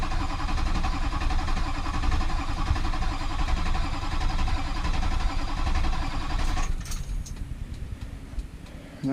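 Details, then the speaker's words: Rebuilt rollover-wrecked truck after rewiring, fuel pump just plugged in and primed, with a module from another cab: engine cranks steadily at about four compressions a second for six seconds but never catches; needs the truck's original module to start. "I need the module out of Clifford the original module out of Clifford to be able to get her to start"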